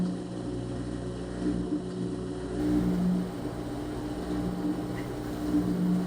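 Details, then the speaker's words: Front-load washer with a no-water-entering complaint, high-RPM spin checked for bearing, drum or door boot gasket contact and sway: smooth steady hum, no rubbing, grinding or thumping. All functions normal; technician suspects out-of-balance loads. "all the Cycles have test good from door lock to water valve to water valve turning off to agitation to drain now spin all functions appear"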